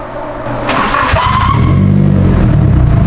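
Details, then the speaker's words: High squeal from a squeaky starter motor rides over cranking before the engine catches and settles into a low, steady rumble; a long-standing issue, not yet fixed. "you hear that squeaky starter dude it's always had that issue the DJ's s14 has that issue - I'll fix one day"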